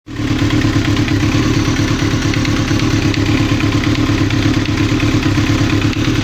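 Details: 1995 Kawasaki ZX-9R inline-four idling: uneven heavy clatter of knocks over the exhaust beat; engine knock of unknown cause.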